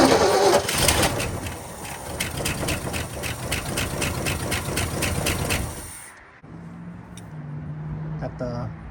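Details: 1967 Ford F100 abandoned for 20 years, on a fresh battery: steady cranking at about 3.5 turns per second for six seconds that never catches. The carburetor accelerator pump was later found not moving and repaired.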